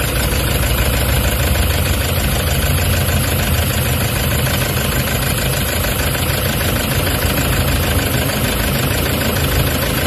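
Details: Toyota Hiace common-rail diesel with vibration, low power and check engine codes P0400/P0406 for EGR malfunction: loud idle with a lumpy, shaking clatter that never settles into an even beat, attributed to the EGR valve fault.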